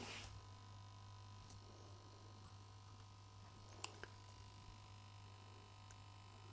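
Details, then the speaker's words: Late-1960s East German Vermona MV3 tube guitar amp, first power-up on a dim-bulb tester, mains at about 200 V: faint steady low buzz with a few clicks; source of the hum not yet found. "Something is buzzing over here. Well, it is working."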